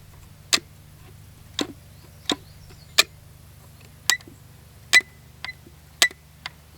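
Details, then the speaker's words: Brat 28 model engine with prop, turned over after the needle was leaned out: irregular sharp clicks, roughly one a second, with no running. Something is wrong inside; hydro lock is suspected, not confirmed. "Wow, what the hell happened here? Is it hydro lock? Hear that sound? That doesn't sound right."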